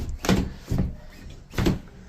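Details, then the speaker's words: Aluminium door with loose top closer arm after being sped up without servicing: three harsh scraping drags in about two seconds as it swings; door dropped and rubbing hard at the bottom, needs full service. "but if I try and close it it's rubbing rubbing really hard at the bottom"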